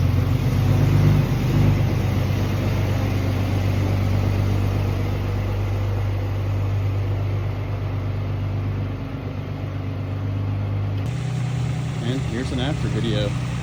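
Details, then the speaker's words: 2WD Toyota 4Runner (2003-2023 generation) driving after new wheel hub bearing assemblies, lug nuts torqued: steady low road rumble, no speed-related hum or growl; normal driving noise, bearings quiet. "change anything but got the new hubs Tor the lug nuts down now should be rolling quietly down the road"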